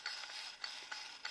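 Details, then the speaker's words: 4L80E transmission (rear-lube style, newly bought parts) from Volvo 240 LS2 project, part turned by hand on the bench: dry, high-pitched ratcheting click; something broken inside, cause unknown. "doesn't sound good. Something's broken in there."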